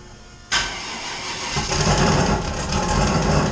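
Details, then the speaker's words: LS 5.3-swapped Fox Mustang, previously not running because the fuel pumps ran dry from an empty tank. After refuelling, with 60 psi fuel pressure on one pump, the starter catches almost instantly and the V8 settles into a strong, steady idle. Clean, normal start. "So yeah, I was definitely running these pumps dry. Watch this thing fire right up, I bet."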